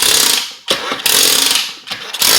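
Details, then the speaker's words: SSR 125cc semi-automatic pit bike that won't start: each kick brings a harsh metallic whirring rattle, like gears moving, but it never catches; the kickstarter cranks back easily and the owner suspects no compression, cause unknown. "just sound like gears is moving in here, and I took it off."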